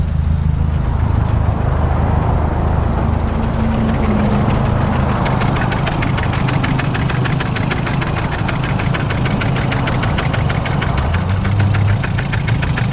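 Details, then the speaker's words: Freshly built race car engine running with no tune, blown after 600 miles: rough idle with a fast, uneven knock of about three or four raps a second; rod knock suspected, though it can still be driven home. "So I blew it up. I got rod knocked. But I can still drive it home."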